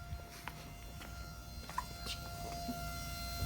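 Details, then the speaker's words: 2015 Ram EcoDiesel after fuel filter replacement, key turned to run position: faint, steady electric hum of the in-tank lift pump priming, lasting about 10–20 seconds; normal priming. "what you want to do to prime it is take a key turn it to the run position [Music] turn to the run position you're gonna hear the pump actually pumping"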